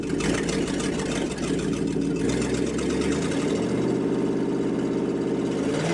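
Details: Rebuilt International 345 V8, first start-up, timing set by ear, carb needing work: idle with slightly hunting, uneven beat that shifts as it settles; runs but needs timing and carb tuning.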